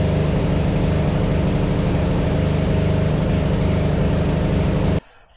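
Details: Yard Machines 638 RL riding mower single-cylinder engine after new carburetor and spark plug, warming up before oil change: steady even beat, no surging or stumbling; runs smoothly.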